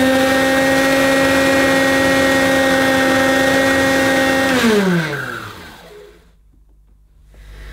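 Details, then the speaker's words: 1984 Hoover U2194 Turbopower upright at first switch-on after acquisition: steady high motor whine with a harsh rough edge, pitch falling at switch-off; doesn't sound like a healthy Turbopower, possible smell, and a spare motor is on hand. "well no folks that doesn't sound like a hoover turbo power to me well not a turbo power"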